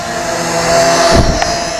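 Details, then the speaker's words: Drocon A818A Plus-W drone, full pitch forward barely moving: thin steady high propeller buzz, laboured and not climbing; motors straining at low battery. "it is definitely coming down we're at 16% left it's still hanging up there goes the low battery warning so 14% it starts it starts making the sound and there it goes"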